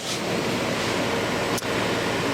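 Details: Early-1960s Philco Noiseless air conditioner under restoration: smooth, even airflow hush with barely audible compressor, no rattles, squeaks or ringing, frost forming; normal compressor running.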